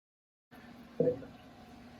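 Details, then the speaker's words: Initial fill and bleed of a rear-mount radiator cooling system with an expansion tank, about 8 liters in: a slow wet gurgling burp as trapped air bubbles out of the coolant. "So you can hear it burping in there. So it's still going, it's pretty slow."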